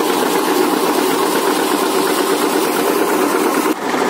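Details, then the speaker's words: Washing machine run manually without its control module via a light switch, spinning as laundry gets drier and lighter: smooth, even motor hum at steady pitch, no grinding or knocking, speed higher — normal spin. "Ini udah mulai lebih kering, lebih ringan, putarannya lebih cepat."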